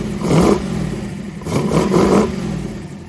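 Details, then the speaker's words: 1932 Ford roadster, built 383 V8 with IDF/HPMX carbs synchronized, bigger idle jets, idle mixture about 3/4 turn out: blips up cleanly off idle in quick stabs, settles back, no stumble; idling fast but fine, carburetion healthy. "Oh yeah. It's coming right up off the idle. It's idling good. It's idling pretty fast, which is fine, because when it kicks into gear, it'll drop it down."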